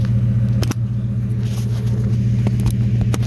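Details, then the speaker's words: 2009 Ford F350 at idle after fitting a new Flowmaster muffler: deep even burble with a steady low drone, no rattles or ticking; much quieter and nicer than before. "So, yeah, it sounds way better, I think. Yeah, this thing sounds a lot nicer now."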